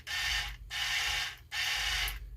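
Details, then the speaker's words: Power Wheels ride-on toy steering motor bench-tested with wires, reversing polarity: small electric motor whirs steadily through its gears in short bursts, running either direction with no grinding or catching; works normally. "it works either way power steering on a p on a Power Wheels that's crazy guys crazy"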